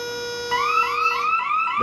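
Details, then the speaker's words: Bosch Radionics 4012/8012 alarm panel demo: system armed, then entry simulated; a steady tone, then rapid rising chirps about three times a second from the keypad as the entry delay counts down. "It should buzz for the entry delay. Yep. So, you hear the entry delay?"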